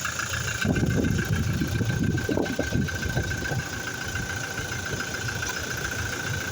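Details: Toyota Fortuner diesel at idle: irregular clattering rattle, loudest in the first few seconds, that never settles into a clean beat; abnormal engine noise at idle, cause unknown.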